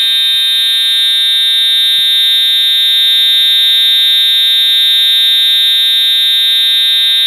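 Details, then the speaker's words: Edwards EST 757-7A-T Integrity horn strobe (unenhanced) tested on continuous, low-volume setting, horn and strobe together: loud, steady high-pitched electronic blare held without a break, normal continuous horn tone. "that's really loud thank God I do the hearing protection on my ears now man I think I'm half death right now"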